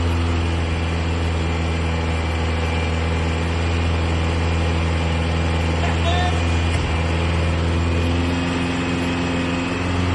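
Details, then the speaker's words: 1960s air-cooled Porsche barn find, first run in about 46 years after new brakes, fuel tank and lines, carburetors, points, condenser, plugs, leads and exhaust; flat-four idles with a steady, even low thrum, constant exhaust beat, no knocks or misses. "There's still loads to do, of course, but it felt fantastic to hear it fire up."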